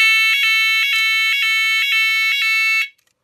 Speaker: Donc quand j'enlève la membrane, je ferme le contact, donc je fais passer l'intensité et la sirène se met en route.